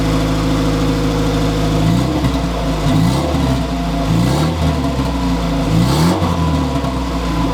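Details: Honda Civic EF sedan B-series turbo build, first start with wastegate fitted, no coolant circulating, run briefly: fires and settles into a steady, even idle with small rev swells, no knocks; some water, likely condensation.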